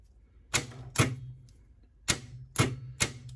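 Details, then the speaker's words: Removed starter motor from 2010 VW Polo 1.2 petrol with intermittent no-start, bench tested: sharp single solenoid clacks, no cranking whirr; solenoid throws the lever but internal power feed to motor is lost, sparking inside. "the solenoid is shooting is shooting the lever on and pushing that out but it's now it's lost the power feed to the motor and we've just got a wicked spark in there"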